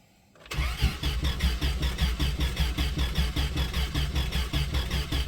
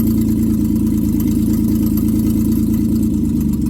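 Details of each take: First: 1995 Plymouth Voyager, 209,068 miles, sat four years, missing air filter, old gas: steady cranking about two and a half beats per second for seven seconds, never fires; fuel pump heard, owner suspects distributor timing way out. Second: 1995 Plymouth Voyager, 209,068 miles, running during brake work checking booster: steady even idle with low uniform hum, no knocks or misses; engine running smoothly.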